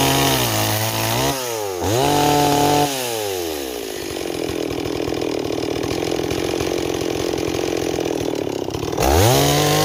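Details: Stihl 026 chainsaw on an 18-inch bar, cutting wood: crisp revs climb and drop cleanly, then holds a strong, steady pitch under load; running healthy.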